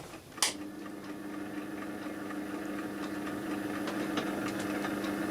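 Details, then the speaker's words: Warburton Franki WF 2 E timeswitch after cleaning: a click, then a quiet steady hum with faint ticking as the clock motor runs evenly, after a brief start delay from static friction. "yeah there you go that's working right now it's just got a bit of a delay yeah bit of static friction in there"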